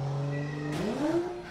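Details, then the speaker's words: Car during a burnout in an automatic: steady engine drone breaks off in a sharp bang, then revs flare freely with something still heard rotating; drive shaft or axle failure suspected. "the reason why I'm saying drive shaft is you could still hear it like rotating and [ __ ] and uh to me that sounds like a drive shaft"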